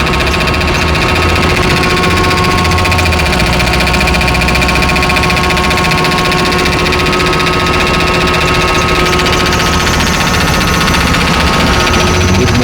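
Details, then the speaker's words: 1999 BMW 5 Series engine running with a constant fixed-pitch whine from the engine bay; mechanic suspects vacuum or a belt-driven accessory such as the air pump and plans to remove the belt to check. "look look you know why this noise maybe inside vacuum whatever we going to release your belt and see what happens maybe the pollution pump"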